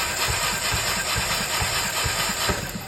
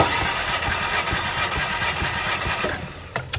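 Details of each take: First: 2012 Alfa Romeo Giulietta 1.4 turbo petrol misfiring, compression test on last cylinder: starter cranking with uneven beat, one weak stroke, no catch; no compression from burnt valves, likely due to mileage and overheating. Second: 2012 Alfa Romeo Giulietta 1.4 turbo petrol with a misfire, compression test while cranking: steady starter cranking at about four even pulses a second; this cylinder holds good compression. Cylinder 4 has none; burnt valves are suspected.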